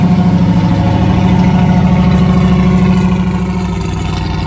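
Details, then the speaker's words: 1990 Ford F250 idling on a cold day: loud deep idle with rhythmic puffing tick about three a second from a crack in the exhaust. "okay you can hear the crack in the exhaust"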